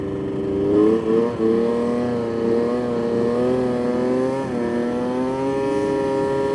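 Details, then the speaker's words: 1999 Yamaha Vmax 700 triple two-stroke snowmobile with swapped carbs: revs stumble and skip when the throttle comes back on, bogging; flooding or clutching suspected, with plugs to be checked. "definitely bogy after have check those [Music] plugs yeah right there I just hear it skipping out huh honestly I don't know right there it kind of seems like it's flooding"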